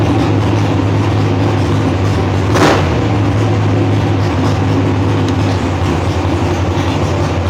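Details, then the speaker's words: Mechanically injected dragster engine started hot (about 180 degrees) with primer on a cold 32-degree day: loud steady low rumble, even lope, no misses or knocks, idling faster than usual due to cold dense air; normal fast idle. "again today it's all it's cold and I've got some really good air so it's idling faster than I usually idle it"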